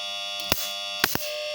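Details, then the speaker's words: Refrigerator compressor force-jumped with a 5 µF capacitor, bypassing the overload and PTC: steady buzz with sharp snaps as it hums but cannot start, amperage staying high at over 2 A. "Ya, tetap berdengung ini tidak kuat nyala tuh. Tetap tidak nyala, Teman-teman."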